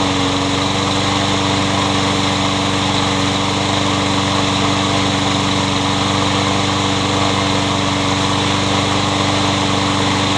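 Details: Troy-Bilt 21-inch self-propelled bagging mower, blade previously hit a railroad tie; after flywheel key replacement and reassembly, engine runs with a smooth, even buzz at constant speed, no misses, knocks or hunting: good runner.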